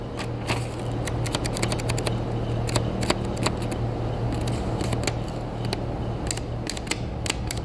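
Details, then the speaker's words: Customer's newer vehicle: blower motor on low speed makes light, uneven clicking ticks over a steady fan hum, minor and continuous, like a roulette wheel; cause not yet found. "his blower motor was a little noisy can you hear that I'm just trying to duplicate it it wasn't that loud very minor"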